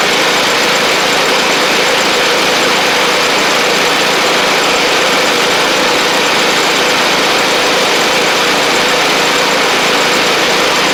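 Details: Sabre riding mower after repair (new drive belt, blades, head gasket), about 32°F outside: steady, even drone with lots of airy hiss, no knocks or surging. Residual oil smoke from the old head gasket burning off. Normal running.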